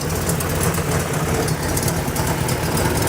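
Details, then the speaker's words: 1987 Buick Grand National running badly, suspected failed mass air flow sensor: rough low idle, nearly dying, with irregular sharp puffing tick; exhaust leak suspected at the turbo, unconfirmed. "You can hear an exhaust leak. Sounds like it may be coming out of the turbo."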